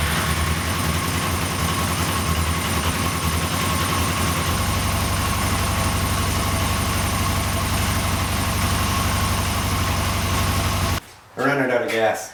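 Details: Yamaha XJ600 motorcycle that sat since the pandemic, carbs cleaned and tuned, fuel on, in neutral: steady starter cranking churn for about eleven seconds with no firing, cranks but won't start.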